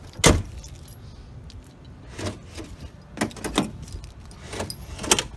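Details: Ford Explorer power door lock after fix, previously not popping up on unlock: sharp crisp lock clunks in separate firm bursts with key jingle; actuator working properly.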